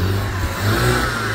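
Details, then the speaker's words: BMW E87 120i that had a misfire despite four new coils, now revving in the garage: it pulls up smoothly with no stumbles, pops or hesitation, and the exhaust sounds clean. It is no longer misfiring. "Yeah, and it sounds all right. And I'm sure that it sounds right. Let's have a listen to the exhaust. That don't sound like a misfire to me."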